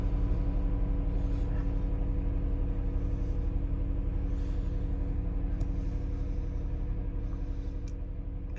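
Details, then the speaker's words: 2020 Jeep Cherokee Trailhawk, about 16,000 miles, cold morning near 10°F after sitting overnight: engine started with a jump pack keeps running with a steady, even rumble but holds a parking brake warning; cause of cold no-start unconfirmed. "stays started but it generally keeps one error message up this time it's the parking brake"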